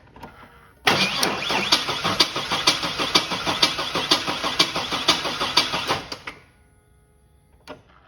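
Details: 2001 Chevy S10 4.3L Vortec that won't start: about five seconds of steady fast cranking, roughly two pulses a second, never catching. Fuel pressure measured low while cranking; poppet valves suspected not opening; battery tested 454 of 650 CCA.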